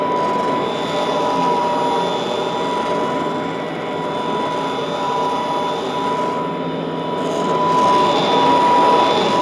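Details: Vintage all-metal Royal Model 153 vacuum, owned 22 years, 3-amp bushing-style motor with belt tension kept light; constant quiet motor drone with steady tone, slight rise in level toward the end; normal running.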